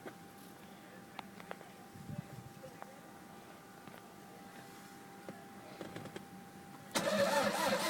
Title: mr2 no start